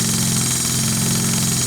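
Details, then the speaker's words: Stuart D10 live-steam engine at 2 bar, feed pump repaired with Viton ball and card-paper seal; steady clatter with slow, even ticks of the short-stroke pump; pump works but too slow to keep up with boiler demand. "Hop, ça descend. Toc, toc, toc. Donc la pompe fonctionne."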